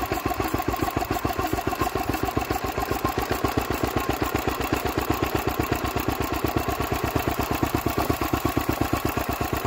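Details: Old Lister D stationary engine, first run in 40 years after belt starting from a Petter W1H, running on its own; fast, steady chuffing beat, slightly uneven; rough running.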